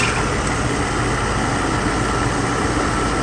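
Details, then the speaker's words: Mercedes SL600 test car with repaired Egas module, just started: steady even idle, smooth low hum, no hunting or surging; air pump noisy but proper idle, no ASR light. "engine runs just fine. Go look on the dashboard. We have proper idle."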